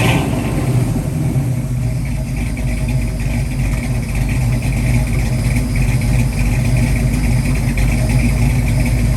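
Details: 1966 Mustang with freshly rebuilt Ford 289-based 331 stroker V8 (hydraulic roller cam) on startup: deep, even rumble swelling cleanly as revs rise, no knocks, ticks or misses; normal startup and revving.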